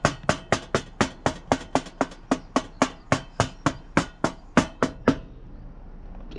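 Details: VW Golf Mk7 R, stage 2, removed rear silencer (back box) shaken: sharp metallic clunks about four a second from loose internal baffles knocking inside, the cause of the exhaust rattle.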